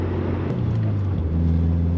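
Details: 2000 Subaru Impreza 2.5 RS flat-four on the road after new OEM spark plugs: deep, smooth hum pulling cleanly, with no stutter and no fuel cut at high RPM. Fouled old plugs had caused misfire above 4,000 RPM.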